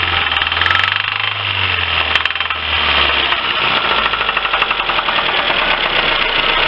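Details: Lifan petrol engine idling with no load change: steady fast tick-like knock; acoustic stethoscope diagnosis places it in cylinders 2–3, with heavy oily deposits on the spark plugs suggesting stuck piston rings; engine knock at idle.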